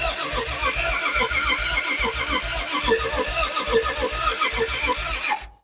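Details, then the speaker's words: Old petrol engine, sat about 40 years, cranked with the ignition not hooked up: steady starter churn about once a second with no firing or catch. Owner suspects distributor timing is slightly off, and it has backfired up the exhaust. "we're getting close I think the timing is okay I mean I've played around with a little bit um backfired up the exhaust a couple times it's it's close you can tell it wants to start"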